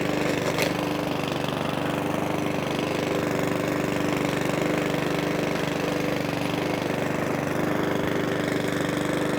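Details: Mountfield 164 self-propelled mower (same as 414) with a carburettor fuel leak, on a hot day: steady even beat at constant speed with no hunting or surging; normal running.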